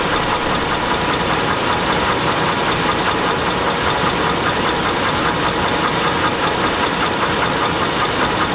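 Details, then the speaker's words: Chevy Avalanche truck at a steady idle with a dull, irregular knock about every half second; the knock gets louder as the engine warms and the owner rules out the flexplate; engine knock, and the transfer case is also broken. "this is the reason why I plan to retire my truck you can hear it knocking like a 5-4 that good ol pressure"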